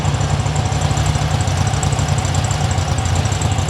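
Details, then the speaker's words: 1972 Super Beetle, air-cooled flat-four of unknown type, running rich, after timing and carb adjustment, about ten minutes running, engine cover closed to build heat: fairly even, throaty warm idle with no clear knock; sounds healthy. "sounds good yeah also the engine cover is closed I'm trying to build up as much heat as I can"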